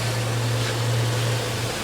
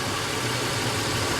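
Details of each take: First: 2006 Chrysler Pacifica at about 70,000 miles after repairing the coil 3 wire by splicing, soldering and heat-shrinking it (earlier P2308/P0303). Steady, even low hum at idle with no stumbles or skips; 13.7 average, no misfire, no codes. Normal idle, fixed. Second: 2006 Chrysler Pacifica at about 70,000 miles, codes P2308 (coil 3 secondary, insufficient ionization) and P0303. Rough, uneven idle with a faint stumble: cylinder 3 misfiring with coil control at about 7 volts. A jumper wire cures it, so the coil wire is likely cut or shorted.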